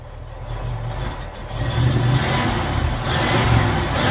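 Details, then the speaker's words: 1948 Ford F5 bus, abandoned 25+ years, running on a newly fitted custom exhaust: the engine builds from a quiet idle into smooth rising revs with a low, muted exhaust, no knocks or misses; runs healthy and quiet. "It's so quiet. Very nice, very nice. Hey guys, it sounds good."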